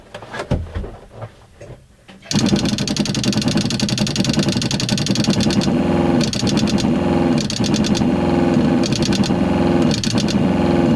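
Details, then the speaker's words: RV water pump under the front bedroom bed, faucet open, no accumulator tank: pump kicks on then pulses on and off about every 1.5 seconds with a rattly hum; short-cycling. "one of the really annoying things is that the pump is under the bed so if somebody's trying to sleep the other person's trying to use the faucet or take a shower you have to deal with this sound"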